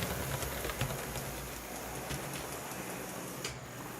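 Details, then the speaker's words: Athearn blue box C44-9W model locomotive with a poorly installed Northwest Shortline motor, now taped in place, running on track: steady small-motor whir with faint irregular clicks, three or four a second. "seems sounds like it's probably pretty good right well hear that little clicking noises starting"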